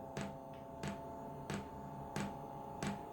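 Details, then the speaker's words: Diesel heater on a test bed with battery connected: crisp single ticks about every two-thirds of a second over a faint hum as the fuel dosing pump primes and fuel is seen pumping up; no heat yet. "can you hear that ticking noise that is the fuel pump and I can actually see the fuel being pumped up"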